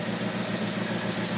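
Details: 1980 Lincoln Continental V8 idling after replacement of the ignition coil and starter solenoid for a no-start, with spark plugs recently replaced: a smooth, even idle with a steady low pulse and no misses or stumbles; it runs cleanly.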